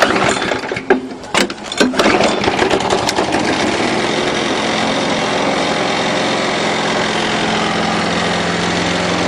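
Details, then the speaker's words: 6 hp Briggs & Stratton flathead on a Murray mower after a valve job: catches after a few stumbles, settles into a steady even run, previous chit-chit sound gone with good compression; slight body rattle, possibly bent shaft. "see no problem notice it didn't make that chit chit chit sound anymore because now it's got good compression"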